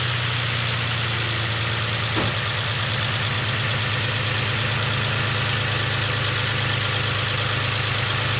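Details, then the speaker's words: BMW X5 with freshly rebuilt M54B30 inline-six, after a few heat cycles: even, steady idle with a smooth rise on a throttle blip, no ticking or knocking. Owner says it sounds pretty much perfect, no extra noises. "But yeah, if you ask me, this sounds pretty much perfect, no extra noises or anything."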